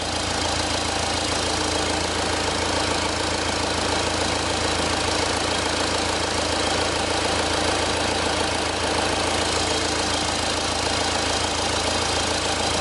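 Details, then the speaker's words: Four-cylinder diesel, firing order 1-3-4-2, idling with an intake-manifold pressure-pulse sensor and injector 1 back-probed: even, steady clatter with no misses or speed hunting. The vehicle is running absolutely fine. "but it is where it is and this is i'm not really concerned the the vehicle is running absolutely fine"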